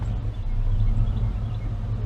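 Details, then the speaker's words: Chevy in gear at idle, with oil pressure now much better. Deep, slow, lumpy rumble; the idle is still quite low. The owner thinks the problem is not fuel-related but is unsure. "oh yeah the idle is pretty low the oil pressure is better oil pressure is a whole lot better"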